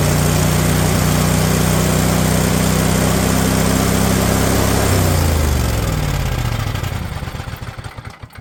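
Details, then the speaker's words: Husqvarna riding mower, Briggs & Stratton Intek V-twin, over 900 hours: fast, steady run for about five seconds, then speed sags and winds down instead of idling; engine will not idle down. "what is going on I took the idle set screw out so let's see what it does now"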